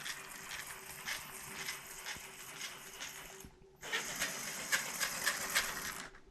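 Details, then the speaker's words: Gen1 Axial 6x6 RC rig on the floor: spur gear rubbing on the driveshaft, fine with wheels held in the air; light scraping tick about three times a second and truck wobble, driveshaft to be replaced. "the spur is rubbing on the drive shaft there so if i hold it up in the air like this it's okay but so they grow on the floor you hear that"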